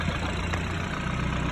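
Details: 2013 BMW 328i, after the quick fix for its whistling engine: a smooth, even idle with a low steady hum and no whistle or hiss. The engine sounds healthy.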